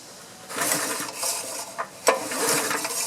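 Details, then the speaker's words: Honda GX small engine on a pressure washer that sat outside with old gas, carburetor removed: several recoil hand pulls whirr it over smoothly with even compression puffs and no binding; engine turns freely, not seized. "And just to show you the engine is not froze up."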